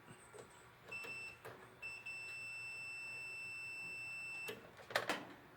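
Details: Whirlpool dryer after its timer was taken apart for a no-heat fault: a clear, high, steady tone sounds briefly, then again for about three seconds. The end-of-cycle buzzer works normally.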